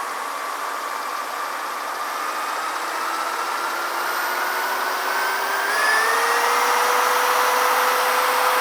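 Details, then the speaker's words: Porsche 356 engine pulled over a strong vibration near 3000 rpm; its cooling fan is drill-spun through a hose coupler at 2000+ rpm, engine loose on a jack: a steady whine climbs smoothly in pitch, no wobble, thump or pulsing; the fan runs true. "so I don't see any vibration coming from that that I mean this motor is loose on the jack and so if it's vibrating it would shake this whole thing"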